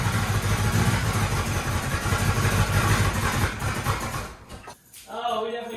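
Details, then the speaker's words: Monte Carlo with rebuilt Chevy 350 and Holley parts, first start on a cold night: loud lumpy V8 idle wavers, nearly stalls around five seconds, then catches again, with smoke; rough running, timing suspected to need tweaking. "we definitely gotta tweak our timing a little bit. The smoke. Oh God, I'm happy though. God, it sounded great for like 2 seconds."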